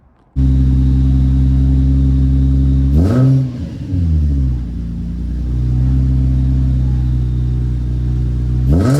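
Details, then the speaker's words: Deep booming drone at idle that swells sharply on two blips from a VQ-swapped Nissan S13 240SX with stock headers, no cats, 2.5-inch glass packs, a 3-inch Y-pipe and a muffler without silencer; loud, annoying exhaust. "So, that's what it sounds like now. It's not extremely loud, but it is annoying."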